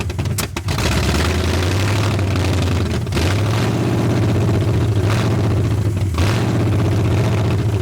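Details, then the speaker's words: 1981 Ford Mustang 5.0 carbureted V8, parked since 1996, fed by a temporary electric fuel pump: catches, then the idle sags and surges almost to a stall; a vacuum leak is suspected, possibly the carb gasket, or distributor timing. "This thing has a horrible vacuum leak somewhere. Give me a few minutes. I'm going to see if I can find that vacuum leak."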